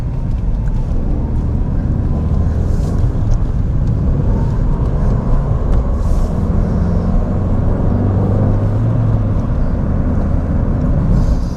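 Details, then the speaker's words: Ford Fiesta 1.6 manual, pre-roadworthy test drive: only a low, steady road rumble, no clunks or knocks over bumps, front end sounds quiet; the ABS light came on earlier but no warning lights now. Normal driving, no knocks. "Yeah, she drives beautiful. Absolutely beautiful. She sounds pretty quiet. I can't hear any knocks or anything bad, you know, that would signal to me that something was wrong."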